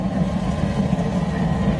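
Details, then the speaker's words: Waste-oil heater burner with turbo air at full air, not throttled down, flame clear and hot: steady, even roar with low hum, no surging or sputtering; normal clean hot burn expected to hold steady. "clear hot i'll show you my place here a little bit it should stay right there the whole time i could throttle it down but you know"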